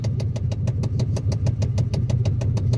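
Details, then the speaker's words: 1991 Chevy Silverado C1500 after no-start repair (replaced starter wire, rerouted hot wire at junction block after shorting with battery connected): engine catches cleanly and idles smoothly with low steady thrum, no misses; clicking from stripped blend door gearbox noted. "let's see if the truck starts there's going to be a clicking from my blind door gearbox which is stripped out but hey it worked nice"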